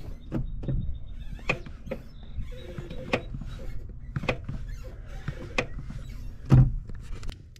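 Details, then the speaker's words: 1995 Nissan Hardbody manual transmission: sharp, irregular clicks from the clutch pedal area each time the pedal is pushed in, over low background rumble; a broken piece was found nearby, cause unconfirmed. "the sound is when I push in the clutch I get a clicking sound kind of like this"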